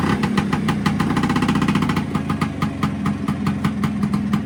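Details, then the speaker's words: Vespa with Cosa clutch after fitting SIP CR80-style clutch friction plates, running in first gear with the clutch lever pulled in: steady, even two-stroke idle holding its revs with no bogging or stumbling, so the clutch no longer drags. "One of the last tests is going to be fire it up sitting on the bike, click it into first gear, and hopefully it'll hold the revs. It won't drag the clutch and try and pull forward or anything."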